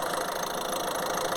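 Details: 2014 Citroen C4 Picasso 1.6 diesel running with the suspect faulty fuel filter head bypassed using a primer. Even diesel clatter at idle, steady with no stumbling or hunting; idles normally.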